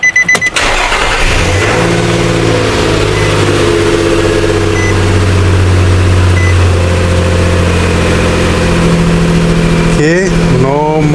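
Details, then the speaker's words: 2013 Nissan Frontier after P2127 fault repair, with 5 V reference restored and codes cleared: short crank, quick catch, then smooth steady idle and a clean rev blip with no stumble; no more check engine light. "No more check engine light."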